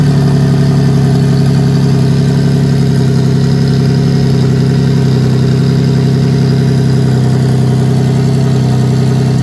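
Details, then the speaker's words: Nissan 350Z single-turbo VQ35DET (Garrett T04E, 10psi tune, hood-exit open dump and wastegate), after thermostat swap: loud deep even idle, steady low rumble, no misses or knocks; healthy. "i'm about to throw it back and start the car for you guys so you can hear what that uh hood exit open dump open waste vq35de turbo sounds like"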